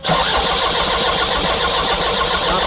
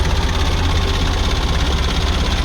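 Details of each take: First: Kia Bongo with electronic fuel pump that won't start: starter churns evenly for about three seconds, roughly four beats a second, never catching or firing. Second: Kia Bongo diesel with electronic pump that would not start, now running after repair: loud, steady, even low rumble at idle; the engine idles smoothly.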